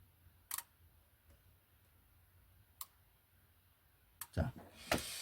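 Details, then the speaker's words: LG stand-type combined air conditioner/electric heater, front PCB heater relay tested with 220 V applied: a few sharp, isolated clicks as it pulls in cleanly and 220 V comes out; relay is normal, no problem. "There is no problem with the relay . There is no proble"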